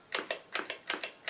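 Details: Cheetah Mach 1 vintage joystick on a ZX Spectrum Next, after swapping microswitches between two faulty joysticks: crisp, sharp paired clicks, each press and release clean; fire button microswitch working properly.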